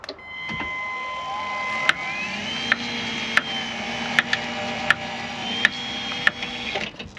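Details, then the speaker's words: Caravan motor mover, clicking while driving the roller forward: sharp click about every three-quarter second over a rising motor whine, felt more at one end of the metal casing; bearing or mover gearing under load suspected, not confirmed. "so you can clearly hear that clicking sound um and when I've sort of moved this forwards before and just had my fingers here obviously the the knocking is going to transfer into this metal casing but it does feel that the knocking is more this end than the other"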